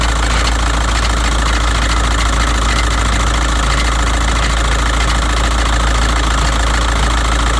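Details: 2006 VW Jetta 1.9L BRM TDI diesel idling with an uneven metallic clunking rattle, about three per second, present since purchase; owner first thought undercarriage rattle, source not pinned down.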